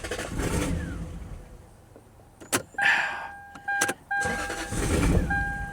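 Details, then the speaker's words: Lexus parked 10 years: petrol engine catches strongly for about a second then dies at once, with steady dash chime; codes show cylinder 4 misfire; starts right up and immediately dies each time. "The car starts right up and immediately dies."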